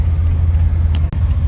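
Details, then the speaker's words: Dodge 3.9 V6 truck, 209,000 miles, 3-speed, at idle after fixing a spark arcing at cylinder one plug: steady, even low rumble with no misfire, firing on all cylinders. "what's going on guys welcome back to the channel I just wanted to give y'all the good news y'all hear that we've got no misfire guys"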